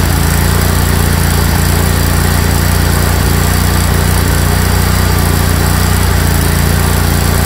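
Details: Craftsman GT tractor (model 917.258873) with 18.5 hp Kohler CV18S 624cc V-twin, formerly hard-starting, running after carburetor replacement (Kohler 24 853 41-S, new gasket); loud, steady chug at even speed, no misses or stumbles; normal running.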